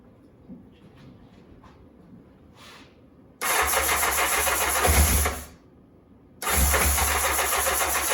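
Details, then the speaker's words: 1984 Honda CBX750 after engine repair and refit, hot start on booster pack: catches at once into steady even idle, cut, restarts cleanly to same smooth idle; idle maybe slightly high. "this is a hot start very happy she's running quite [Music] nicely not too bad not too bad probably use the idle knocking down a little bit"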